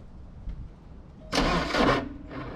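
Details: First start since 2014: short crank, quick catch and rev flare, then steady even idle; starts cleanly and runs fine.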